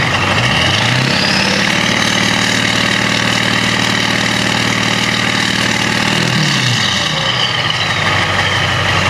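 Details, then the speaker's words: 1994–1998 7.3L Powerstroke diesel after installing 175cc/30% performance injectors, Hydra chip and tuning, plus oil and fuel filter change after long sitting: fires, climbs in pitch, settles to even steady idle clatter with no misses; normal healthy diesel idle. "so y just heard right there the truck sounds freaking amazing and we got him pretty good on the power"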